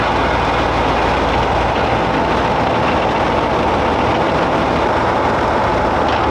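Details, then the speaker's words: Tank on the stand, no tracks, after brake adjustment: loud steady even rumble without knocks or grinding, engine and drivetrain running healthy, brakes operating; not yet tested under load. "Sounds great, man. It sounds good. The brakes are operating."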